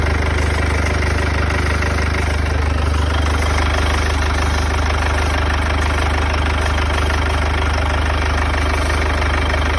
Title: W205 OM651. Strange noise from the front (COLD START) 220CDI #w205 #OM651 #mercedes #220CDI #CDI